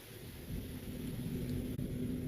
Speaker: Setelah kita ganti, setelah kita tangani, ini hasilnya, Teman-teman. Oke, aman ya. Tidak ada bunyi keretak-ketor lagi.